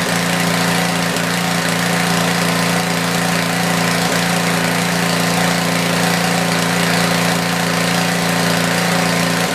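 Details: Tecumseh generator, believed 4000 W with 8 hp engine, long stored, after new feet were fitted: steady, even drone with a constant hum and no knocks or misses at governed speed; runs well and starts easier now.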